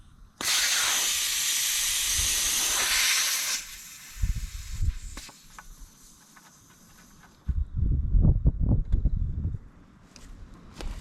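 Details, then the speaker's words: Allis-Chalmers WD tractor sitting about a year with a flat tire: loud steady hiss of air escaping through a bad, rusted valve stem core, heard before swapping the core. "you can hear this thing leaking pretty good now but it's just air so I should be able to swap that real quick the valve stem core anyway"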